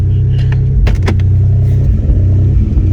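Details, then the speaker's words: Dodge Journey before alternator test, no power: loud low rumble wavering and dipping as if about to stall; owner thinks something else is wrong, cause unknown. "but it definitely sound like something else is wrong all right guys can y'all see it i mean the the engine jumper so much you can hear it"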